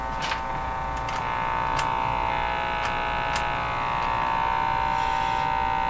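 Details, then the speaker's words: 1935 Rogers Model 7R622 valve radio: steady low mains hum at fixed tone; hum disappears with all tubes except output tube removed, returns when refitted; cause being traced by replacing tubes. "i pulled all the tubes out left the uh output tube in and the set did not hum put the tubes back in the hum comes back"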